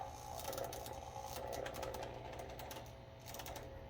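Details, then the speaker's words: Lyman power feed motor on a Bridgeport milling machine, speed dial turned low, potentiometer damaged: small motor buzzing unevenly, cutting in and out with crackly spitting bursts; arcing and stuttering at low speed. "and you can kind of hear it down at the low end it's arcing a lot and it's making a lot of noise and it's kind of like starting and stopping"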